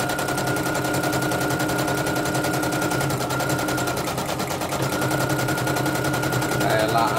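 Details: Serviced embroidery machine, previously jamming with skipping bobbin-case hook; test-stitching lettering: rapid even machine-gun-like chatter with light steady hum, no jamming or grinding; running cleanly. Renewed jamming would indicate worn dynamo shaft.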